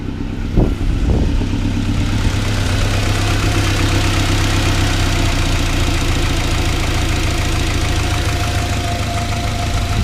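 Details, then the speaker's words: Turbo Honda CR-V after a boost controller hose blew off, causing overboost and lean running: lumpy idle with irregular dropped pulses under clatter and smoke from the valve cover breather; misfire, owner suspects ringland or valve damage. "And now I'm having like a miss at idle. I got some smoke coming out of the breather filter on the valve cover, so I think I hurt the engine, either a ringland or a valve."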